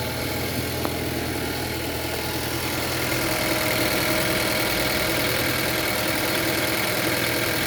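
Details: Geely Coolray at idle. A steady idle with a thin, faint whine creeping in partway through over an even hum; extraneous engine noise, source unclear.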